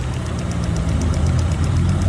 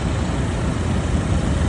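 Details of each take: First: 2024 Lada Vesta, 3,800 km, running in on factory oil: light ticking at idle, two or three a second, mistaken for hydraulic lifters; actually the evap canister purge valve ticking, which stops when it is disconnected. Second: New 2024 Lada Vesta, 3,800 km, on factory oil during break-in: noise thought to be hydraulic lifters is actually an absorber; with it removed, a low, even idle rumble with no ticking or tapping.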